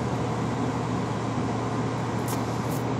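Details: 1998 Flair motorhome on Chevy ladder chassis, Vortec 454 big block, cold start after long disconnection with flat batteries: deep steady rumble, smooth even idle, no knocks or misses.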